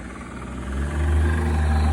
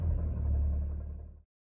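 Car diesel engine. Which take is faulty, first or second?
first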